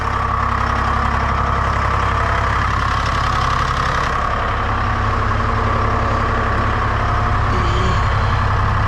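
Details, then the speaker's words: Lull telehandler Detroit Diesel 3-53 two-stroke, just started without ether for the first time: even, throaty drone at steady idle, no misses, knocks or hunting; normal idle. "Well, it's all for naught if it doesn't start, right? It's the first time that's ever started without ether. Ever."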